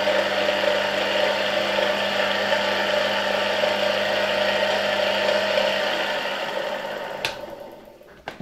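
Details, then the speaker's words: Polish RFSG vacuum cleaner (c. 1953-56) with a later replacement 1961 SK-5 universal motor, run through a voltage regulator: steady high whine with a light bearing hum, winding down as voltage drops, responding smoothly to the regulator; normal run with slight bearing noise. "engine is running pretty nice. You can hear the bearings a bit, but overall they work very well."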